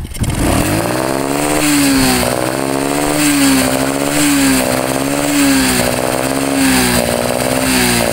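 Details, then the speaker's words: Honda Karisma with carburetor, tested in an open field. At about 3/4 throttle and above, held revs surge and sag every 1.5 seconds, like hitting a limiter: a "ngok" sound resembling a carb fault. It is actually an electrical misfire from a loose charging-circuit fuse. "Nah jadi seperti itu Bolo ketika gas gas naik tuas di putar kurang lebih diangkat 3/4 ya Bolo itu ada suara ng gitu Bolo apalagi gas menengah ke atas itu suara semakin terdengar gitu Bo"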